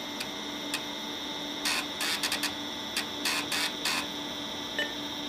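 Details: IBM PS/2 Model 50 3.5-inch floppy drive after replacing three capacitors: faint steady hum with quick clusters of crisp stepping ticks and short seek buzzes; reads normally after repair.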